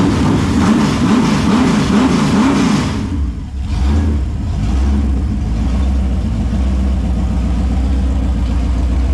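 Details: Holden 253 V8 on bench after freshen-up (new bearings, honed bores, new rings, Yella Terra heads, timing chain, gaskets): deep rumble climbs cleanly through a blip and settles to an even, strong idle, no knocks, misses or leaks.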